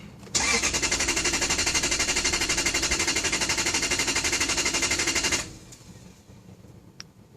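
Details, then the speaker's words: Lexus LS400 with an intermittent no-start: the starter spins the engine at an even four beats a second for five seconds and it never catches. Cranks but won't start. "it just won't start happens every once in a while and it just won't do nothing"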